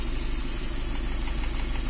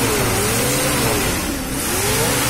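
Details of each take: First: Nissan Caravan Hiace van at idle, runs rough and uneven with a faint irregular ticking knock; low pickup and vibration, misfire with one cylinder likely not working, like a weak plug. Cause suspected, not confirmed. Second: Nissan Caravan/Hiace van on gas kit, after repair of misfire, vibration, poor pickup and tick-tick sound: engine picks up cleanly as throttle rises and falls, even steady note with no misfire stumble or ticking; running properly.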